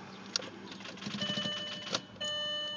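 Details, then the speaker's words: 1999 VW Golf TDI with a new relay 185 and the glow plug light on about half a second: turning the key gives only a couple of sharp clicks from relay 185, with no starter whirr. No crank, no start. "did you hear the clicks it sounded like like I realized it's doing something bad okay we can see is there the relay 185 the one that is clicking and I get no get no the engine didn't try to start okay"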